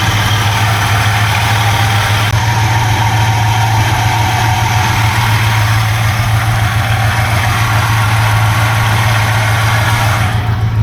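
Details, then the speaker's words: 1971 Buick GS 350 V8, bought as non-runner, first running in years: deep loping idle rumble with a rapid loose puffing tick on top from one side; exhaust leak suspected, water pump or fan also possibly noisy. "we definitely have an exhaust leak down here or at least what I'm going to call an exhaust"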